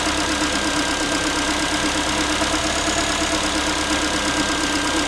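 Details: Ford Focus 3, 1.6 engine (125 hp), idle after a cold start: a light, tinny, uneven metallic tapping at about three per second over the engine. The owner is asking what it is, and the source is not pinned down.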